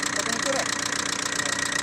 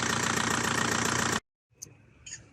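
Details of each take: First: Diesel engine idling after a cylinder head job: rapid, sharp ticking over the idle, steady with engine speed, like something touching, valves or pistons; suspected bad head or wrong timing, traced to incorrect timing causing valve-to-piston contact. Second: Diesel engine after a cylinder head job and corrected timing: even, steady clatter with a regular beat and no knocking for over a second before shutdown; normal, healthy sound.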